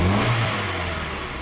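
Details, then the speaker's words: Engine with a pressure transducer fitted in one cylinder, running on three cylinders: idle stabilizes, then a quick throttle snap and falling revs over an uneven lumpy pulse from the dead cylinder. "just let the idle stabilize here it's running on three cylinders obviously and then snap throttle"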